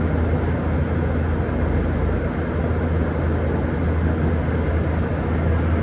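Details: 2012 Frigidaire 18,500 BTU 220V R-410A window/wall AC, nearly 14 years old, outdoors at about 88°F: steady even low hum, no knocks, rattles or surges; compressor running smoothly and still blowing cold, though fan bearings noted as starting to go.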